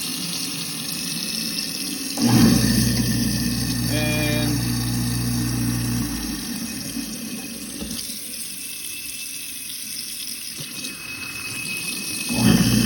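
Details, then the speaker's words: Garbage disposal that only hummed when jammed, after turning it back and forth to free it, run with water: spins up to a steady even hum, no grinding or stalling; working normally. "as you can hear guys it is running it's good as new"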